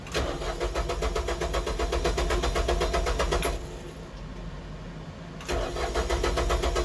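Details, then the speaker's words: Tractor cranking at roughly four turns a second, pausing, then cranking again after running dry; key left on so the electric fuel pump could prime fuel; slow to catch but finally starts while straining the battery. "oh man finally i was kind of killing my battery trying to get this thing to turn over i had to leave the key on for a little bit i could hear the electric fuel pump cranking the fuel"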